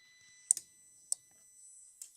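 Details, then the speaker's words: 2005 Holden VZ Commodore V6, towed in with no crank/no start after an electrical smell and white smoke: key to start gives only relay clicks, no cranking. "did you hear that you could hear the relay click couldn't you I'm going to go to the relay anyway that's my next Port of Call"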